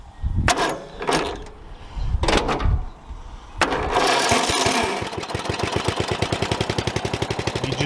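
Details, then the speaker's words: Used riding mower cranks a few times, catches and settles into a fast idle with a light rattle; valve rattle, valves likely need adjusting or a tune-up. "now i've already been running this mower and i can hear it has a little bit of valve rattle and you can address that with a customer as well"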